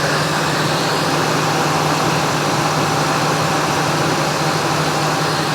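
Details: 1999 Ford Expedition 5.4L Triton V8 after replacing idler and tensioner pulleys and belt: steady even idle with smooth hum, no squeal, chirp or rattle; accessory drive sounds healthy.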